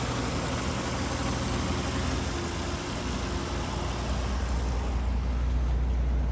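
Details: 2005 Mercedes-Benz SL65 AMG twin-turbo V12 (604 hp), idling just after start-up during a pre-purchase inspection. Even, smooth low rumble with a steady exhaust note, no misses or knocks, no smoke or excessive smells. A healthy idle.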